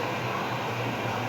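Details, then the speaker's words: LG CM4330 stereo on a series test lamp after a part was replaced, switched on in standby: steady hiss in the speaker with nothing playing. Original fault was protection and hiss then cut-out. Speaker hiss. "peguei ele sério e agora vou ligar no stand by ele já ligou ali já acionou e já tá chiando na caixa"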